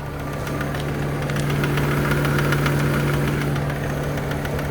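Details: BMW E90 330xi, 140K on clock, oil change possibly overdue, hot engine idling steadily with light uneven rattle about three a second; cause not identified.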